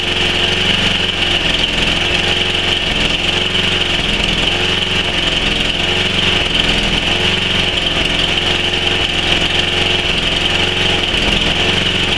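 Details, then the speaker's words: Tecumseh Snow King 11 hp on a Murray Select snowblower, cold start near -10 °C: off choke and off load, revs rise and sag in a slow surge; fine under load; caused by a clogged carburetor air jet. "as soon as I take this thing off choke it does that um when it's under load it's not a problem but once you take it off of load"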